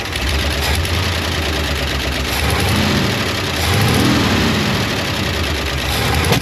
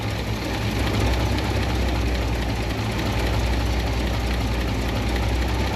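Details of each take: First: 1972 International 1110 pickup after ignition overhaul (points, cap, rotor, coil, plug wires): idles fine but won't take throttle, revs rise slowly and stumble with occasional backfire pops; cause a loose accelerator pump linkage. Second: 1972 International 1110 pickup after carb mixture screw adjustment on its two-barrel carb and an ignition overhaul. Before, it fell flat; now it has an even, deep rumble with clean firing and no stumble. Running well, as good as it can be made mechanically.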